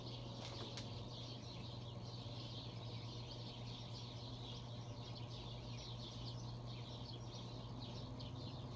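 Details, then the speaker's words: Bronson exhauster fan (International Oil Burner Co, St Louis; Universal Electric motor, pressed aluminum blades), possibly 1960s or earlier, cold garage find: after oiling dry front bearing and oil ports it spins up better but still slowly, with a low motor hum under airy rush. "it seems to be getting going a little better than it was before that's for sure yeah we guys has a bit of a humming noise"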